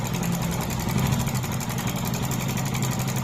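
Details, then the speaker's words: Hero Glamour 125cc single-cylinder bike in for service, idling: a light, fast rattle over the beat, which the mechanic calls timing chain noise before opening the timing chain cover. Timing chain noise. "Engine से sound है इसमें जो timing chain का problem है timing sound मार रहा है"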